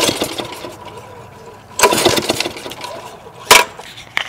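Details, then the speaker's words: 2001 Briggs & Stratton OHV 5 hp chain-drive rototiller on choke: each pull gives sharp pops and spitting backfires out the exhaust, with fuel smell but no start. It seems to have no compression; owner suspects incorrectly set valve clearance. "when you pull it all it does is pops the backfires out of the tail pipe and it has no compression see if you can hear it see it's popping sounds like it's trying to fire off you can smell it burning the field but it won't"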